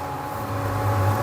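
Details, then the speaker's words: Epson S31+ projector with steady low drone and thin constant whine, cooling fans ramped up; cooling section very dirty because no air filter was fitted; noise probably from the lamp before the Lamp error appears. Fixed by replacing the lamp and filter. "aqui a a parte de arrefecimento por falta de filtro né ó fazendo um barulho provavelmente a lâmpada esperar ele apresentar o erro"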